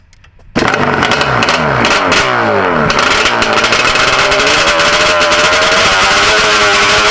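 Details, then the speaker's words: Two-stroke after the carb needles were turned a turn and a half richer: fires up and settles into a crisp, steady buzz with no surging or hanging revs; normal running, no longer lean. "It's definitely not leaning anymore. We end up turning it a turn and a half richer."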